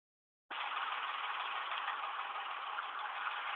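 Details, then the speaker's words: 2005 Ford Expedition 5.4 3V at idle with codes P0012, P0022 and over-retardation, stalling when warm in drive or reverse: lumpy, rough idle with quick light ticking; faulty VCT solenoids. "it idles extremely rough it ticks as you can hear here all the codes that it's throwing are saying BCT solenoids"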